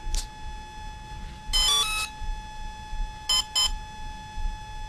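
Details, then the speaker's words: Volcano 30A brushless ESC on a 450 RC helicopter, powered up with throttle stick full up: after a pause, short chiming tone bursts from the motor, one then a longer group then two quick ones, the setup song entering programming mode. "wait for a little pause and it'll do its little setup song"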